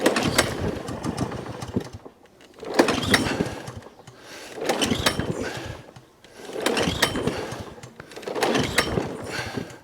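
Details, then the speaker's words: Job-lot mower with a badly damaged deck, started on choke with dead-man held: surges in roughly two-second bursts with sharp pops and crackles, misfiring; owner suspects valve timing, unconfirmed. "It is making noises, it is popping, but before I commit to this machine, I want it running right. Lots of popping noises. Could be the valves timing, but it is popping, so it's showing signs of life."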